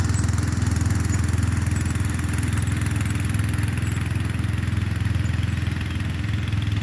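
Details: Murray Select 30" riding mower mowing on a slight incline with an unsharpened blade: steady low single-cylinder thump at an even beat, holding speed while cutting, no misses or surging; pulls fine and cuts decently.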